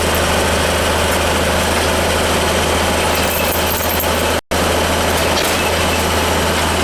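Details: Goodman gas furnace not heating, shutting off and needing restarts; inducer fan running with a steady, even low hum and smooth airy rush, no rattle or wobble, kicking on once the flame ignites; normal inducer fan operation.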